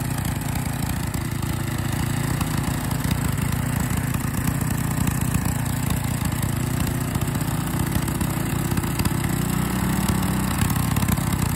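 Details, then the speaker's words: Small single-cylinder engine running with liquid gallium fed through the carburetor, keeping a steady, even low chug with no stumbling or misfire; it has survived about 10 grams of gallium so far and runs normally. "all right so as you can hear it's uh so far survived about 10 grand or still of gallium running through it"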